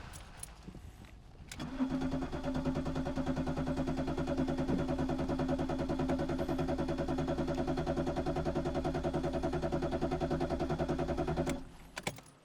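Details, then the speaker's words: BMW E34 525tds diesel, first start after storage, warm weather outside; cranks, catches quickly and settles into a steady, even, soft idle knock with no misses or stumbles; normal start and idle. "ja käib mulle jah päris mahedalt käib"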